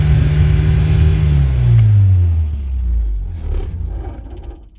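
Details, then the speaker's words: Nissan 240SX on second start attempt after idle adjustment: revs sag with a low, uneven rumble and stumble toward stalling; won't hold idle, cause not yet clear. "okay this is bad this is proper bad um yeah all right so since sadly i'm not able to get this thing to run at the moment smoothly"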